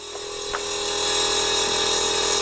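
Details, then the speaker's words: VW Golf R Mk7 with newly DIY-installed 3P air ride; compressor running by itself during calibration, tank vibrating. Steady high-pitched electric hum with fine buzz, slowly building in level; normal compressor operation. "feel the tank like vibrating so we've turned it on i'm not touching anything it's calibrating as you can hear whoa sounds sick"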